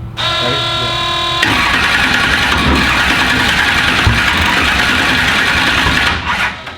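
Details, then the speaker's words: "Black Sheep" V8 race car during its first start attempts; ragged running with uneven popping, stumbling and backfiring; the misfire was caused by two plug wires on backwards, and two loose fuel fittings were also found. "I had 2 plug wires on backwards, and that was the reason why it kept missing and popping and backfiring the whole time."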